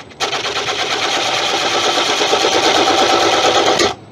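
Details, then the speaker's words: Wood lathe turning a monkey puzzle bowl: rapid rough knocking about three times a second under the hiss of cutting as the tool bangs on the soft pith at this speed. "i was wondering what the knocking was right here [Music] it's the pith remember the pith and this is soft"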